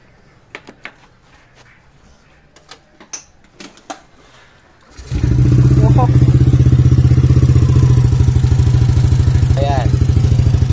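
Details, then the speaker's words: Yamaha NMAX version 2 brought in for a noisy engine; after the cam chain tensioner check and refit, the scooter starts and idles with a steady, even beat, quiet again, slightly louder only with the throttle held open. "Soin niyo tahimik na ulit yung makina niya. So medyo maingay lang gawa ng naka-open 'tong throttle."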